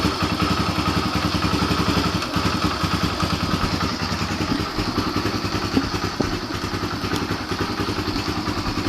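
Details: Yamaha TTR125 just reassembled after carburetor cleaning and new fuel hose, kick-started: single-cylinder thumper ticking over at a steady, fairly quick beat of about three pulses a second, running cleanly.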